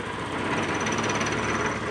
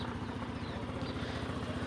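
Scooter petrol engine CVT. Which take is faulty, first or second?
first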